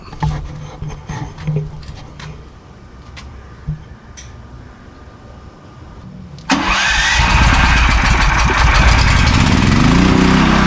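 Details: New AGT 12 kW (9 kW continuous) generator at first startup after assembly and fuelling: a few quiet knocks and clicks, then it catches around six seconds and settles into a strong, steady, even run; healthy.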